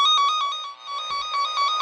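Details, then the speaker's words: Cen-Tech cable tracker, power off, probe right by the transmitter on a connected wire: loud, bright pulsing warble repeating several times a second; normal tracing tone. "So you can see I have it connected here. It's loud because it's right by the transmitter."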